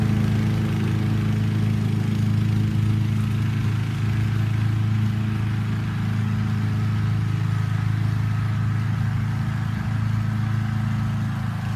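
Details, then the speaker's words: Honda HRC216 mower with GXV160 engine, louder than the HRX217, cutting grass: loud, deep, steady drone holding speed evenly with no surging, misfire or knocking; normal running under load. "But this, it just eats and goes. I mean, it just keeps hammering that bag, packs that bag in heavy."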